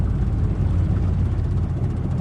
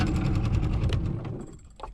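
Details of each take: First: Yamaha 45HP 2-stroke outboard on a 1971 Boston Whaler Sport, second outing after about 14 years unused, warmed up on the river: steady even low rumble without stumbles; now idles well, running better the longer it runs. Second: Yamaha 45HP two-stroke outboard on a 1971 Boston Whaler Sport, idled down on the water: choppy, uneven putter that stumbles and dies; owner suspects idle adjustment, runs better choked and warmer.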